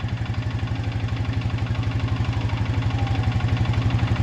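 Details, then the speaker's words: 2020 Honda Rubicon 520 ATV, swamped, during a valve adjustment redone at top dead center after the first attempt left the valves too loose: a sharp, even, loud knock about four per second persists. Top-end knock, cause unconfirmed. "we had a lot of noise in them and we weren't on top dead the first time but now i'm a firm believer we're in the right path we still got knocking"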